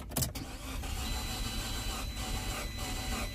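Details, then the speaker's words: Auction car listed as run-and-drive, plenty of gas, dashboard lights flashing: even, quick cranking for a few seconds with no catch; crank no start, suspected broken timing belt or no compression. "almost like the timing belt might have broke almost sounded like it wanted to catch"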